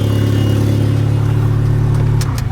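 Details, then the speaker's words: Honda Civic D16 single-cam engine with a compound-turbo setup changed back to the original eBay single-turbo kit, first run after the swap, no oil leak seen: strong, even low engine note holding then easing off, no knocks or rattles; normal revving. "Ah. Sound of a good old turbo single cam."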